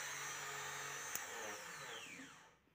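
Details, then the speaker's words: Suzuki boat engine that would not crank: starter relay and solenoid bypassed, battery wired directly to starter motor, which spins freely with a high even whir and coasts down without drag or grinding; starter motor fine, solenoid contacts likely need cleaning. "Un tagad es ieslēgšu pievienošu akumulātoru un būtu jāgriežās starteru motoru. Un tas arī notiek, starteru motoru griežās."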